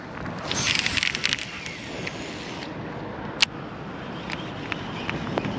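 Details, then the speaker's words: Daiwa Type R baitcaster: a quick whirring spin with sharp clicks only during the cast; the bearings were checked and look good, and the owner suspects the brake but the cause is unconfirmed. "it's kind of a clicking noise every time I cast but I checked the bearings and everything looks good trying to figure out what it is that's only when I cast"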